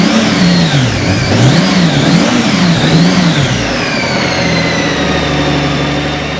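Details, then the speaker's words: Crashed Honda Goldwing with fresh oil, cleaned plugs, fresh gas and bank angle sensor reconnected: engine catches, revs up and down a few times, then settles to a steady idle; starts and runs cleanly. "Now that bank sensor is in. Fingers crossed. That sounded a little better."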